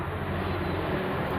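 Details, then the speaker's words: Maspion box fan motor: steady low mains hum with faint rattle, blades barely moving and not spinning up; failed start capacitor, fan runs once a new capacitor is added. "Sekarang, alat itu hanya mengeluarkan suara berdengung seperti megafon, bergerak sedikit saja, teman-teman."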